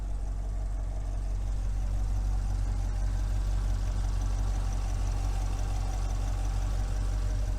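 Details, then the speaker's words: Salvage-auction Corvette V8 with front-end collision damage and a stock exhaust. It starts right up and idles quiet, smooth and even with no tapping or knocking, and the engine sounds healthy. "well just like the last one it's a good running car starts right up engine is super quiet and i have no reservations behind this car"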